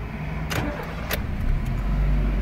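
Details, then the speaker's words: Honda Jazz after idle problem fixed with a different idle adaptation method via computer: engine restarts after a couple of clicks and settles into a low, even idle, no unevenness, normal restart and steady idle. "15 beklemeden direk de yatıyorum bak söylenti hiç bir dengesizlik Yok kalkışlarda yok yok diyorum"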